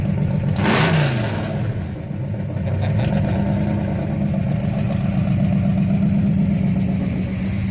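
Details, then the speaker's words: Dad's 1968 Dodge Charger Hemi V8, fired up after reconnecting the battery: sharp rev blip then a lumpy, even idle settling steady with no ticking or knocking; sounds healthy. "Well, everybody in the comments, tell Dad thank you for blessing your day with the sound of Hemi."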